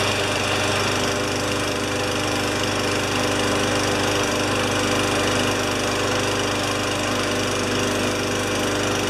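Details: Free mower after a spark check: steady, even engine note with a quick regular firing beat and no misses or surging, normal running.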